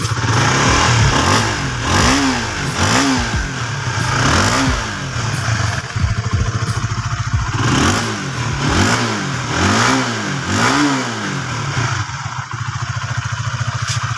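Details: Honda Sonic 150 two years after cam follower improvised repair using old connecting rod, ridden at 70-80 km/h: revs blipped repeatedly, climbing and falling cleanly with slightly harsh edge, no knocks; normal revving.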